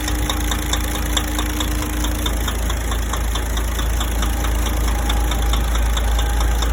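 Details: DAF 105 diesel at steady idle with a crisp metallic tick repeating roughly three times a second over the low rumble; engine knock, cause not identified.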